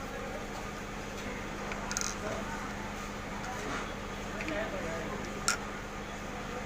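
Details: LG window AC fan motor after bearing replacement to cure a noise problem, reassembled: steady, quiet low hum with smooth even whir, no rubbing or rattle; no longer making noise; normal running.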